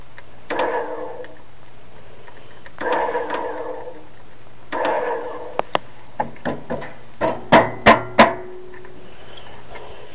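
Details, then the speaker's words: Tractor with 18 hp engine, key start switch part broken off: three short grinding cranking bursts of about a second each, then scattered clunks; engine never catches, crank-no-start. "Probably not gonna get started today."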